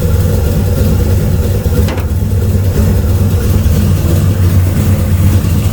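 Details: LS-powered Camaro's first start with a newly built HP-series carburetor on naturally aspirated metering blocks, checked for leaks, base tune: deep, steady V8 idle with an even beat and no knocks, misses or ticks; runs smoothly.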